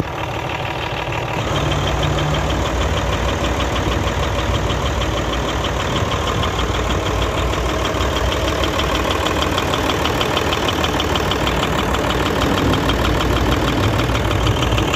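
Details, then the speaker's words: Hino J08C Euro six-cylinder truck diesel at idle: steady knock about three per second over the clatter, coming from the air compressor. "तो खैर मैं आपको बताता चलूं इसकी आवाज़ जो है कंप्रेसर की तरफ से ए रही है ठीक है"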